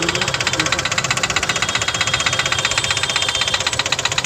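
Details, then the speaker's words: CNG-fitted car engine at idle gives sharp, fast, very regular loud metallic tapping; debris entered cylinder three after a spark plug was removed, marking piston and head; engine knock from debris in cylinder. "िलेंडर वापस वापस तीन number cylinder पे कचरा बचरा कुछ है उसका plug का गया है इसमें प्लग निकलवाया था इन्होने तो उसका कचरा गया था य निशान हैय पूरे उस पर जाकर लगा है इसकी वजह से इसमें टक टक की आवाज बन रही थी"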